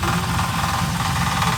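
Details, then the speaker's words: Modified Trans Am WS6 at idle: light, loose rattle about three times a second over the engine hum. A part found loose with its screw missing; something heard falling. "Oh, that's good. That's loose. Oh no, the screw is missing."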